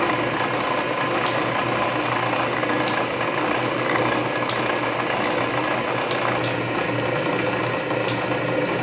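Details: Canedy Otto drill press after re-lacing belts, drilling steel at low speed with power feed: slow steady geared whir with occasional light ratchet clicks; gear reduction torque hides the slightly slipping main drive belt, which needs tightening. Working fine.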